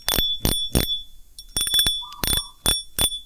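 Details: Fishing reel clicker after repair: broken click spring replaced with a strip cut to size, previously silent. Crisp bursts of bright, ringing clicks in quick rattles, clear and loud; clicker works properly.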